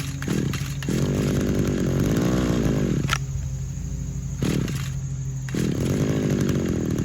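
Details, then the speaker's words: 2010 RedMax edger two-stroke, worn, before carburetor cleaning: buzzes fast and unsteady, rising and sagging, idle too high and hunting; bogs/floods when given throttle; owner suspects a cracked carburetor diaphragm. "this edger what it's doing is when i crank it up it'll idle but it's idling high now and anytime you try to give it gas it just overloads"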